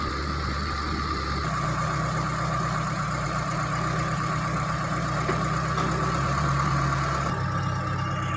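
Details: T120SS fuel-injected engine after overhaul for fouling spark plugs, high fuel use, weak power and white exhaust smoke; test run shows a steady, even idle with a constant low hum and no knocks or misses, running smoothly and healthy.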